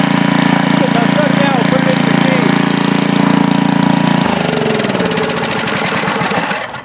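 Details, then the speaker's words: 10 HP Briggs engine on a 5000 W Coleman generator, rebuilt to cure smoking: starts right up, loud steady single-cylinder beat with smooth pitch shift, no knocking, no smoke apart from lube oil put in the cylinder; normal running. "huh seems to be doing pretty good tubes started right up wasn't blowing any smoke other than the oil we put in the the cylinder for Lube"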